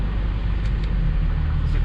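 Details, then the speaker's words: Mk4 Supra 2JZ-GTE single turbo after AC compressor repair and system recharge: steady low engine drone holding even as the compressor cuts in, no squeal or grinding; compressor, previously not engaging, now runs normally. "this thing would not even come on so now you guys can actually hear it"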